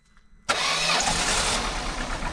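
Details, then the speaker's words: Peugeot 307 1.6 16V barn find said to have a dead engine, first start: catches at half a second into a ragged, uneven run with smoke from burning oil; oil in the spark plug wells is causing the misfire. "oh gros ouais on a cramé l'huile regarde derrière oh là là beauté Deo c'est pour ça qu'elle tourne mal mec"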